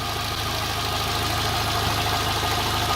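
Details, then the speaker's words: Engine with surging idle, valves already adjusted, new spark plugs and even compression, running on petrol, after throttle body cleaning: idle holds speed but the firing beat stays lumpy and uneven with a faint wobble; somewhat better but still rough. "no i tak sobie to popierduje nie powiem żebym był zadowolony z efektu"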